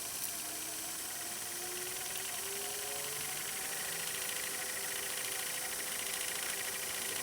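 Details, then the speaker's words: Old VHS tape unplayed for a while rewinding in a VCR with its cover off: faint whirring motor climbs slowly in pitch over hiss, labouring; owner suspects the tape is sticking to itself on the spool. "Even the VCR acts like it's having a hard time rewinding. Oh, there it goes. Yeah, you can hear it when the motor's like straining itself on some of these older tapes."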